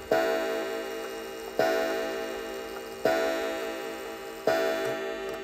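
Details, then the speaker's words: Antique count-wheel kitchen or parlor clock after synchronizing the strike with the hands: clear, evenly spaced gong strikes about every 1.5 seconds, 11 strikes at 11 o'clock; normal hour strike. "we go we've got 11 chimes and our hands are pointing at 11 o'clock"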